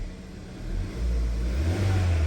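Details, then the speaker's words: 2013 Kia with a misfire on cylinders 1 and 2 that persisted after new spark plugs: after those two ignition coils are replaced, the engine revs smoothly with a deep, even note and drives fine with power. "aquí está ya prendido como pueden oír motor se escucha muy bien"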